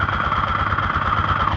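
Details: Honda Titan 125 motorcycle at idle, heard through a stethoscope on the engine: fast ringing metallic clatter from the damaged camshaft knocking.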